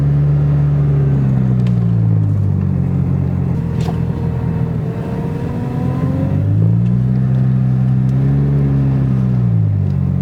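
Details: Jeep while driving, power steering pump bad again after a previous replacement: engine note rises and falls with a thin whine swelling while the wheel is turned; noise only occurs when turning while driving.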